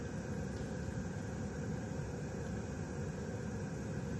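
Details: Webasto Airtop 2000 parking heater being fitted in Citroen Ami, trial run with thermostat turned down: steady low combustion-fan whoosh with even hum; running normally, then apparently cooling down.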